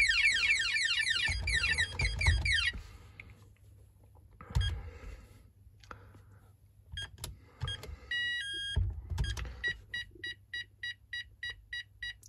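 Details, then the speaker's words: Texecom Veritas alarm keypad refusing to arm: a quick run of nine even high beeps signals a tamper fault, here an open lid tamper cover. "now I'm getting 9 beeps in a row. That means that I have a tamper issue."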